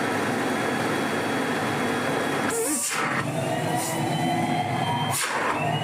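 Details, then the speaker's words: 1970s Electrolux Z302 vacuum after restoration, with new RF suppressors and refitted carbon brushes bedding in: smooth, even motor roar at constant pitch with brief dips from hose handling; motor sounds healthy, like new. "Beautiful. Sounds like new, runs like new, even has that old Electrolux smell as the carbon brushes bed themselves back in after we had them off."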